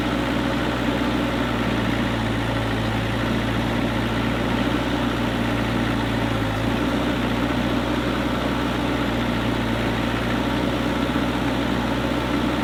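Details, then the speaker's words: Kubota KX121-3 excavator diesel at steady, even idle after replacing the fan/water pump belt and A/C belt; the squealing from the rear is gone, with no belt squeal or chirp, and the machine runs quietly. "all right guys so as you can see in the previous clip uh there was no more squeak and I am really happy now because the machine can operate quietly and no more Super annoying sound coming from the back end"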